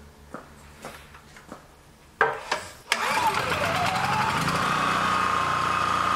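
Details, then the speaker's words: Honda EB3000c generator with stator wires disconnected from the inverter: a few pulls, then the engine catches and settles into an even, steady run; engine fine, inverter diagnosed as bad. "now the generator is going to start now and it's going to stay running because I've got this all disconnected from the inverter that tells me this inverter is bad"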